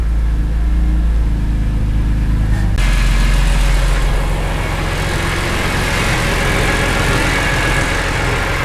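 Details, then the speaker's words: BMW E46 M3 S54 first start after a month, following rod bearings, VANOS overhaul and SMG-to-manual conversion: steady, even idle with no knock or rattle, then a smoother, louder run; the earlier engine and VANOS noises are gone. "it sounds so much better i'm not sure if you guys remember when we at first brought it into the shop it was making all kinds of engine noises vanos noises pulling noises oh man it's so quiet"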